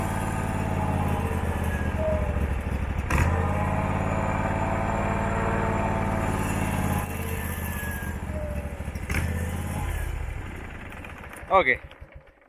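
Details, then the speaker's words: Abandoned Husqvarna mower, possibly a 2002, V-twin, running during a charging check with a voltmeter on the battery: note wavers and sags rather than picking up, then dies away; won't take throttle, owner says the carburettor badly needs cleaning. "needs a carburetor clean bad you hear it's starting to not want to go in throttle"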